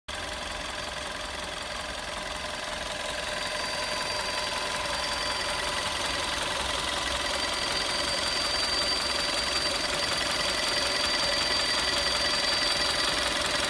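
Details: 2011 VW Golf VI Style 1.4 TSI 90 kW/122 PS at warm idle: a thin, high whistle from the engine bay, strongest around the water pump, cuts in partway through and holds for a few seconds. Cause suspected, not confirmed.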